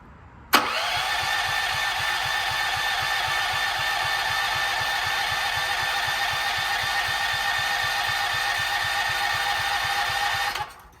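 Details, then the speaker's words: Gas generator bought about 20 years ago, revived after years in storage, reassembled with new solenoid cable: ten seconds of steady cranking that never fires; owner suspects no spark, and the spark plug was cleaned and fuel had run nearly empty. "I don't feel like we're getting [Applause] spark"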